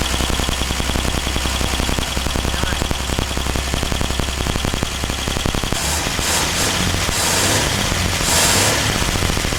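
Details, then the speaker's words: 1949 Ford truck, first start after rewiring with ballast resistors bypassed and 12 volts fed to the coil; fast exhaust pulses beat steadily, then smooth into a hissing rush, with a little smoke out the back; running well. "foreign oh that sounds so good a little bit of smoke out the back"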